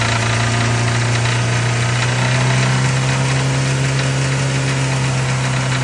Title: Rod knock